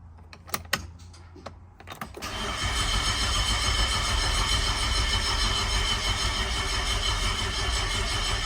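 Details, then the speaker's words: Nissan Skyline R34 sedan RB25 Neo engine, fresh oil, filter, fuel filter and coolant, cranked without starting to build oil pressure: few clicks then steady even cranking about three turns a second; oil pressure confirmed. "I'm just gonna crank some oil pressure and let's see how we go. All right, super nervous. We want to see some oil pressure. We're just going to crank it over."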